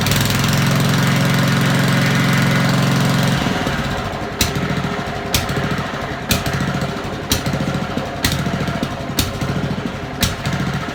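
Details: Honda lawn mower idling unevenly, note rising and sagging about once a second, and cutting out intermittently; surging/hunting idle, owner suspects dirt in the carburettor idle jet and float chamber, cleaned as the fix.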